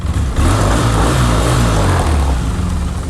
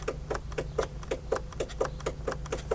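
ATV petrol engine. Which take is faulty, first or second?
second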